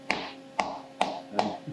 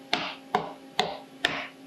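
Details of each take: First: Five crisp hammer taps at the end of a titanium plate, being faced from .800 to .375 in on a milling fixture, after tapping it down with clamps snugged lightly. Each tap sounds solid with no rattle, so the plate is now seated firmly on the fixture. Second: About eight sharp hammer taps on a titanium plate being faced from .800 to .375 in on a milling fixture, with clamps only lightly tightened. Some taps ring hollow at the end, showing a small gap where the plate is not fully seated, which could cause chatter.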